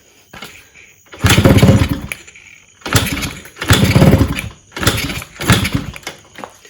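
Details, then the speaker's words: Freshly rebuilt, untuned Yamaha RXZ two-stroke, first start on a small fuel bottle after cleaning a varnished carburetor: short revving bursts that die away each time, can't settle into idle; owner suspects the small fuel amount. "less amount of fuel so that could be one reason why they cannot get it to idols now set is obviously not tuned some freshly rebuilt engine"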